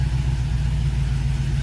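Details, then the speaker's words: 1960s Studebaker Champ pickup idling after front-end install: deep smooth even rumble, no misses or ticks; starts without pumping the accelerator, vacuum around 16.5, engine in good shape. "Look at that vacuum. And that's some great vacuum. That means the engine's in good shape and all that."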